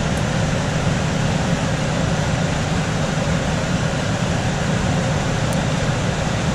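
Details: Coleman DGAX056BDTA manufactured-home furnace, constant-torque ECM blower after 24-volt tap moved from high to a lower (yellow) setting: steady even rush of air with low hum, no rattle or surging; normal blower operation.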